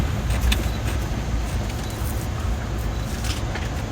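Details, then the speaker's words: Tesla dashboard center wood-grain trim strip while driving: light, irregular plastic ticks and jingles over steady road rumble, a loose trim panel rattling where two panels meet; treated with foam tape on all clips and contact points. "有车友说木纹饰板有异响，这怎么可能？我开了这么多年了。啊，操，还真的有。"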